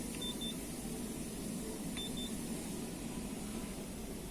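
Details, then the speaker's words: Quantum Controls QC-1500 ship roll stabilizer, bow station control panel at switch-on after old PLC data loaded into a new PLC: short paired high-pitched beeps repeat about every 1.7 s over low room hum, lamp lit, fins centred; panel alarm signal. "Итак, включаем здесь. Включаем здесь. Так, загорелась лампочка, сигнал."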